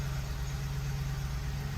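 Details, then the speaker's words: Ford 5.4L 3-valve V8 in an F-150 after a timing chain job and fuel line replacement, starting with fuel trims reset: deep, even idle with no popping or misfires; runs great. "man this thing starts nice now no more popping or anything no more misfires I mean it just runs great"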